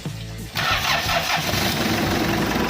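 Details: Hyundai Starex D4BB non-turbo diesel checked for hard starting: brief crank, catches right away, steady idle clatter; starts fine, with music over it.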